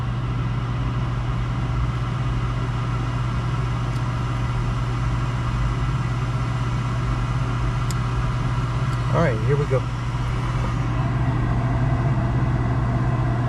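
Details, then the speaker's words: Gas package unit furnace after draft inducer replacement (old one extremely loud), finally lit on heat call: even steady low hum, no rattle or screech; settled into normal run. "And that, my friends, is what success looks like. I don't have any hair left, but we have success."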